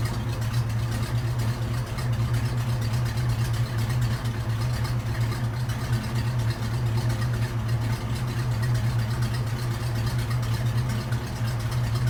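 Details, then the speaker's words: Old hearse with brand-new full custom exhaust and header gaskets, fresh oil after 50-mile break-in change, PCV hose fixed: steady, quiet even idle hum with no ticks or knocks; normal healthy idle. "Sounds good. Quiet. As you see, the PCV valve is doing good."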